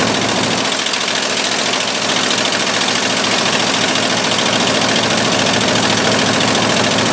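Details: 1958 or 1959 Ford F600 grain truck, 330 V8, after carburetor float refitted: steady, even V8 idle with a regular beat, no misses or stumbles; running properly.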